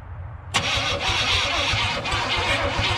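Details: Chevrolet K2500 with TBI 350 that sat 10+ years, rat nest in the intake, run on a makeshift bumper-mounted fuel feed; sluggish, labouring starter churn with no catch, battery terminals smoking. Slow cranking, cause unconfirmed.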